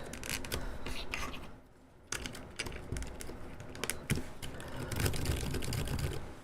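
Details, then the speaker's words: Silent switches on an NK65 keyboard, tested around the top-left Shift key: uneven keystroke bursts with a dry, scratchy, splatty edge instead of a clean muted click. The switches are unlubricated and scratchy, and the owner may lube them all. "Okay. This is all scratchy is what it is. I hate it. It's horrible."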